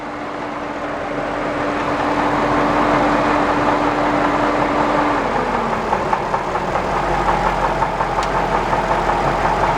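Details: Jaguar XJ8 V8 at idle. A loud, regular, diesel-like knock at a little under three per second points to bottom-end trouble. Extreme rod knock is suspected, not confirmed.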